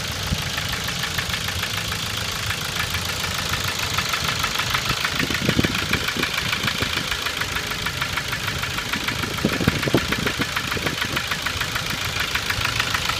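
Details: 2006 Ford Focus 1.6 100 hp automatic at idle: fast even sharp metallic ticking at camshaft frequency (about 400/min), vanishing above 1500 rpm; owner suspects camshaft knocking in its bed, or piston pin oil starvation or piston slap; unconfirmed, unchanged after 90,000 km.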